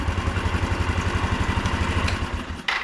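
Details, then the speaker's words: 1993 Yamaha Riva 125 (Beluga) scooter that had a clicking no-start, restarted after swapping the starter relay, with a dirty contact concluded as the cause. Steady single-cylinder putter, then a click as it stops; normal idle. "good so I'm concluding that it was a dirty contact on here somewhere was my problem"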